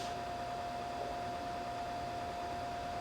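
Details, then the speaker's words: SAM Coupé (c.1989) loading a demo cassette from a Mattel Aquarius data recorder: constant soft hiss with a thin steady high tone through the speakers; interference, owner suspects the floppy drive, unconfirmed. "i'll have to explore maybe try a different set of speakers i am getting some feedback sounds like it's a tape warrant but it's not this"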